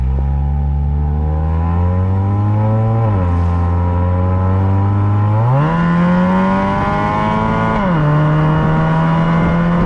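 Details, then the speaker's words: Honda Accord Euro CU2 K-series with a Vibrant resonator, high-flow cat and heat-wrapped PLM downpipe, standard rear exhaust: smooth even idle with clean rev rises and drops, no rattle or drone. The earlier buzz is gone; quiet, normal exhaust note. "The buzz went away immediately as soon as you went wide open throttle, which is exactly what you want."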